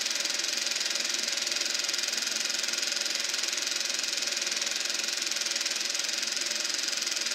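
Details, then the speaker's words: Eberspacher B1 gas heater for VW Beetle on bench test, glow plug hot, battery charger possibly having issues: only steady airy blower hiss, no burner roar; flame went out while fan keeps running, cause unknown. "I think something went wrong. I don't know what. We'll put the lid on that. Sounds like the flame went out."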